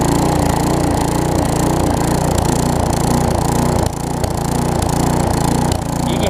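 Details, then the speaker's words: Newer Tecumseh vertical-shaft engine on a 20-inch weed trimmer after aftermarket carburetor replacement: engine hunts up and down with brief dips at no load, fine at full throttle, smooths when trimmer engaged; no-load surging. "one thing i do want to mention you do hear it surge a little bit remember this doesn't have a load on it like a mower so it has to be almost perfect in order for it to not surge"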